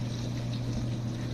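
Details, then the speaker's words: Frigidaire Gallery Professional dishwasher after repairing the wash pump motor's stripped plastic shaft to the impeller: water filling, then steady low pump hum under even water spray splashing in the tub; wash cycle working normally. "I can hear the water coming in so not starting to wash I could hear the water splashing around"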